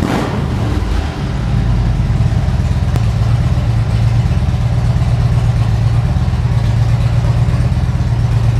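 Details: 2013 Harley-Davidson Ultra Classic FLHTCU, a salvage-auction bike being rebuilt: a deep, even V-twin rumble holding steady with no knocks, ticks or misses, sounding healthy and strong.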